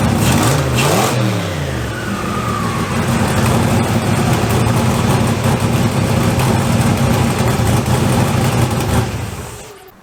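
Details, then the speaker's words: Third start of an LSZ turbo build with the downpipe refitted, tightened but not double-gasketed: rough puffing chuff on each exhaust pulse while idling and revving. Exhaust leaks at several welded flanges warped from unclamped welding, mostly at the rear. "I felt that over here I can feel some over there and feel a little bit over here cut field for this one most of the leek is back here"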